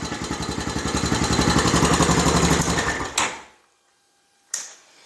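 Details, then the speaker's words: Honda TRX-250 Recon ATV right after starter motor replacement: engine turns over briskly with even chuffs near four per second, then shuts off with a click; starter now cranks properly, confirming the old starter was the fault. "contact yes excellent so that's what it was the starter motor all along"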